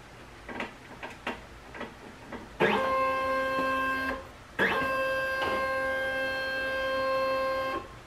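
A few soft clicks, then two smooth, steady motor whines of a few seconds each; the platen travels and homes normally.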